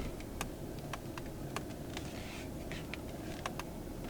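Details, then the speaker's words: BMW X3 M40i, cabin with door closed and AC off, after dealer replaced discs: faint irregular plastic clicks from steering wheel trim while turning over low road rumble; owner suspects the plastic or an incorrectly installed clock spring. "and I believe it's something to do with this plastic because it sounds like when you're pressing it sounds like that but it's more of like the inside of the plastic itself"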